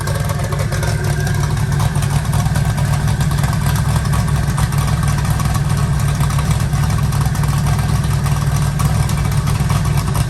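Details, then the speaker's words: Eagle Talon rewired and converted from Pro EFI to Holley: a steady, even low idle with a smooth, unbroken beat and no stumble or miss, hitting on all cylinders. "sounds like it's hitting on all of them now"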